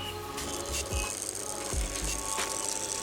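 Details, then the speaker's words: Stand fan whose bushes and gearbox were checked and found fine; the motor hums while a dry knock repeats roughly every second. "ನೀವು ನೋಡ್ತಿರಬಹುದು friends ಇದು ಯಾವ ತರ sound ಬರ್ತಾ ಇದೆ ಅಂತ so ಈ sound gear box ಇಂದು ಅಲ್ಲ"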